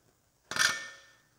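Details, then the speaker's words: Aftermarket Bareco B16 Perkins diesel injector for an MF135 on pop tester at about 2,800 PSI: single sharp hissing chirp, fuel atomizing with good spray pattern and no nozzle leakage; healthy. "that's the fuel atomizing that's what you're looking for so that's great"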